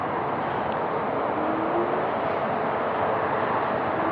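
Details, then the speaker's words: Varla Pegasus electric scooter at 49.6 V, zero start up a 15–20 degree hill: faint low hub-motor whine rising gently under wind noise; gradual acceleration, motors quiet and healthy. "i like about this scooter is that it has a nice gradual increase in acceleration and the motors are really nice not noisy at all"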